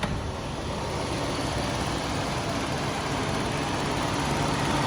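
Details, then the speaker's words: 2003 Toyota Kijang LSX 1.8 L (1800 cc) petrol, listened to at the engine bay at idle: quiet, even idle with soft steady hum and light fan hiss, no knocks or ticks; engine runs very smooth. "teman-teman mesinnya teman-teman, masih halus banget."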